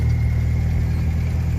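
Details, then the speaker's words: Manual transmission with noise in gears 1, 2 and 3 and jumping out of 3rd: loud steady whine over the engine drone while driving, louder than the engine; gearbox replaced as a full set. "suaranya itu suaranya kenceng banget bahkan bisa ngalahin suara mesin kalau misalkan lagi jalan"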